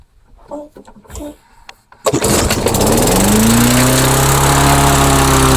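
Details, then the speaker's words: Mastercraft lawnmower on a replacement engine, left overnight, then primed ten pumps with plug wire on and fuel confirmed: it catches and settles into a steady run. The owner says it started, ran, then died, but no stall is heard here. "Well, it started, ran, and then died. I don't know. Is that a good thing or a bad thing? This mower is confusing me."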